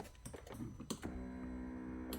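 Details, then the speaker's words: Mercedes electric headrest (CLK W209/C209), fuses checked good: a couple of sharp single clicks from the seat module relay under the seat with no motor whir. The relay clicks but the headrest motor does not move; a mechanical issue is likely. "it works and on the other side it only clicks so when we use this button up and down and we hear a click from under the seat which there is the seat module there like this case you can hear the click the relay from the under the seat area there is a great chance that we have a mechanical issue over here"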